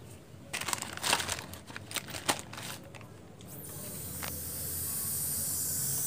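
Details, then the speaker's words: Samsung TV with picture but no sound, powered on: irregular sharp crackles and sizzling hiss as current arcs (leaks) across a spot on the circuit board. "suaranya dari mana Oh ini bocor temen-temen lihat ya ya bocor nih sebelah sini ya"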